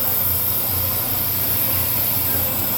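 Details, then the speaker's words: Brake rotor on a brake lathe: steady, even whir with a soft hiss and no ringing or squeal, a clean, chatter-free cut. "So this will come out perfect. You don't even hear the machine singing."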